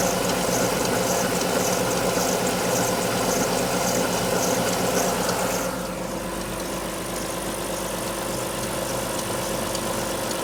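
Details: Alfa Romeo 156 V6 in for timing belt replacement, cold start: cold idle with steady rapid ticking, easing slightly after a few seconds; two distinct abnormal noises heard only cold, not noticed warm on arrival, cause unclear.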